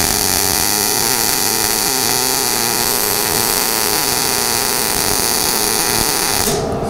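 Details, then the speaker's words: Inverter MIG welder, wire feed speed fixed, voltage dialed down from just over 20 V to 15.2 V: steady crackling hiss of the arc shifting character as voltage drops, then the arc stops; MIG arc sound change with voltage. "So did you hear the change in the sound of the weld itself? Oh, yeah. You know, big change, big change. You can just sit there and just dial it back and forth and get it the way you want."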